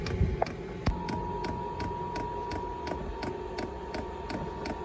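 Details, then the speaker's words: VEVOR diesel air heater with auxiliary tank, first start after installation: steady whirring fan rising in volume with even fuel-pump ticking about ninety a minute; normal start-up, hot air follows after a few minutes. "On entend le bruit là, de la machine qui fait de plus en plus de bruit."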